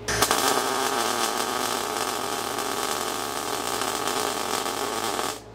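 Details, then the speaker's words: Everlast Cyclone 212 MIG welder with a setting taken back to 35 percent from a too-wet 100: even, crisp frying crackle steady for about five seconds, nice and tight; normal MIG arc. "i can't make that sound a little bit sweeter look nice and crispy it's nice and tight governor"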